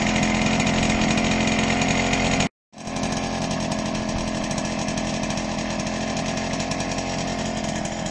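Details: Zundapp 5-speed two-stroke moped engine with a CNC-machined block and newly machined clutch and ignition covers, first run after assembly: crisp, even two-stroke buzz at steady high revs with no misses or rattles; engine runs clean and healthy.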